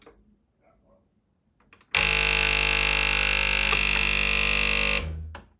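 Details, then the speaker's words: Secondhand Gastroback espresso machine that outputs no water, drawing 1,000 W mostly to the heater: a loud steady pump buzz for about three seconds, then cutoff, with no water or pressure. "So there is no pressure stopping it from the power. It's pulling 1,000 watts and all these thousand watts are going to the heating unit."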